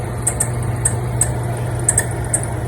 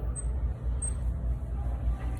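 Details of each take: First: Yep. There's the problem right there. It's too squeaky. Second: Store fan after the squeaking unit was pulled out and power switched back on, temporary fix until a new fan arrives: low even hum with no squeak or chirp on top; fan running normally.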